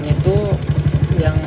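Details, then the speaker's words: Honda CB100/GL100-based motorcycle single-cylinder after fitting CPO PE 26mm carburetor and plugging a fuel-hose line near manifold, idle raised slightly; even steady putter, no misses; starts easily, normal idle. "Jadi setelah saya sumbat itu untuk putaran mesinnya gampang banget hidupnya dan juga langsamnya enak."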